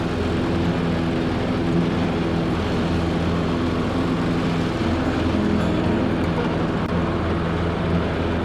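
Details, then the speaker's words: Troy-Bilt 42-inch riding mower, test run and mowing right after fitting new blades to replace damaged ones; steady, even engine drone with smooth blade hum and no knocks or vibration changes: normal running. "It's a good old mower. Cutting good right now, that's for sure."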